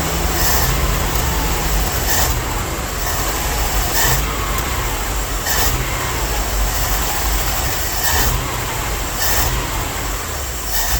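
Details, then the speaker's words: Old Dodge W300 Club Cab, smoking heavily and now barely idling: heavy lumpy rumble with uneven surging every second or two, several cylinders dropping out; won't hold steady throttle below 2,000–2,500 rpm, owner suspects a vacuum leak but cannot find it. "It's acting like it's got a really bad vacuum leak, but I can't find it. It won't hold steady state throttle below 2,000, 2,500 RPM."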